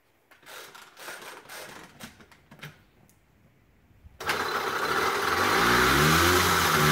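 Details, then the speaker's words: Old Honda Express moped, first start after revival: a few quiet clanks, then loud buzzy running with a tinny metallic rattle like a coffee can full of ball bearings; worn internals suspected, not confirmed. "it sounds like a coffee can a metal coffee can full of borrowed bearings"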